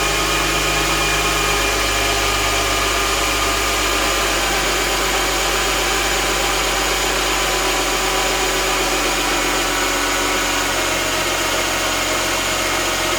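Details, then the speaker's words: 2006 Mercedes E350 4matic M272 V6 after spark plug, coil, air filter and airbox seal maintenance: fires and settles into a steady, even, smooth idle with no misfire stumble; normal start and idle. "And if you really want, you can turn it on right now. Let's hope it doesn't blow up."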